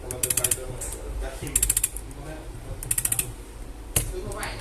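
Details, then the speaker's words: iPhone vibrating: short bursts of fast dry rattling clicks from the vibration motor's mounting screws that loosened over time; tightening them stops the noise. "Aí, ó, se liga, o telefone, o iPhone tá com essa vibração estranha, ó."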